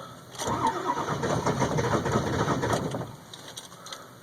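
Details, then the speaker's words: 2002 Ford F350 7.3 Powerstroke diesel cold start at about 34°F; glow plugs warmed 2–3 min without cycling; uneven starter churning while cranking for nearly 8 minutes; the problem also occurs at 40–50°F; it finally starts at about 8.5 minutes with white smoke; cause unknown. "at almost 8 minutes now trying to start this thing something's got to give and this isn't just in 34° weather this is in 40 50° weather"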